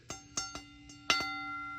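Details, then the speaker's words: Fire alarm 10-inch bell, bigger, lower-pitched and louder than the 8-inch: separate clangs with clear sustained tone and long decay, normal healthy ring. "Now, on to the 10-in bell. It's obviously bigger than the 8 in bell. works the same as other bells except it's bigger,"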